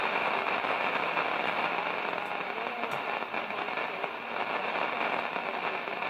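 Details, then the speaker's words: 1946 Zenith 8H034 AM/FM tube radio under repair, powered up: dense continuous crackle and hiss across the band with sharp pops, like a thunderstorm; noisy set, fault not yet traced. "Oh sounds like a thunderstorm"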